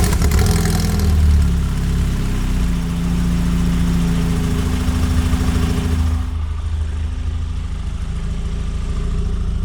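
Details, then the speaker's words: Lotus Elise with new header and Larini exhaust, after repairing a broken exhaust hanger and moving the tips off the rear panel they rubbed against; engine starts and settles into a steady, even idle with a smooth exhaust note and no rattle. "it doesn't sound like anything's rattling so I would say that's a success"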